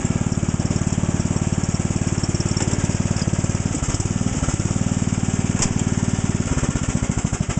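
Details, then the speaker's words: Lawn tractor small engine on cold start after fuel filter replaced and carb cleaned: lumpy, uneven thumping about three to four beats a second with stumbles and dropouts; engine misfiring badly, new plug and air cleaner planned, cause unconfirmed. "okay boy as you could probably hear that thing was missing horribly so we're going to have to put new plug air cleaner the works on it"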